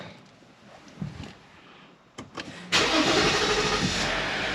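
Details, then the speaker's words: 2015 Jeep Grand Cherokee Limited EcoDiesel, 130,000 miles, on ramps, first start after fuel filter change and repeated priming: few short clicks and a quick crank, then the diesel fires and holds a smooth, steady idle; starts normally. "yeah fired up all right's get it off the ramps"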